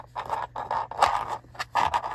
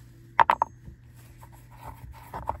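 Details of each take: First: SUV interior, passenger-side storage bin test: short hard clattering bursts of a small hard round object like a ring sliding and knocking inside an unlined bin; interior rattle, later damped by lining bins with felt tape. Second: SUV cup holder and storage bin floors lined with non-woven felt tape, tested with a hard round object such as a ring. Only a few soft muffled taps and no hard rattle: the compartment is now quiet.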